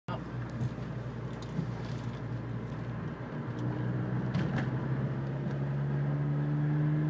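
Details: Vauxhall Corsa VXR: over a steady engine rumble, a clear low whine climbs steadily in pitch as speed builds; source unidentified.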